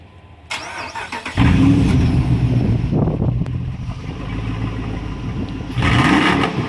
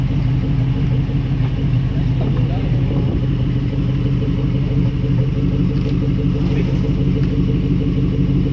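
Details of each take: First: Truck that won't start with water in the gas tank: starter churns over and over, engine sputters and catches briefly but never settles to idle; crank no start from water-contaminated fuel, fixed by draining the tank and adding new gas. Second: Truck that wouldn't start due to water in the gas tank, tank drained and refilled with new gas: steady, even low rumble with no misses, knocks or stumbles; normal smooth idle.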